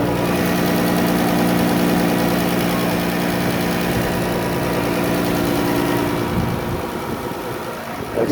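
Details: Ticking at idle on a rebuilt 2016 Chrysler Town and Country, 3.6L VVT, about 5k miles, still on original oil (about 1 year), after a driver-side front-end accident; steady idle with a quick light tick, three or four a second, source not pinned down.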